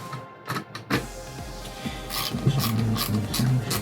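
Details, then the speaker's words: Netgear GS508T switch cooling fan, cheap replacement fan at power-up: irregular rattling clicks and a low buzzing hum; noisy, mechanically rough fan. "oh that doesn't sound good that doesn't sound good at all [Music] that wasn't good okay welcome welcome welcome to the joys of cheap fans"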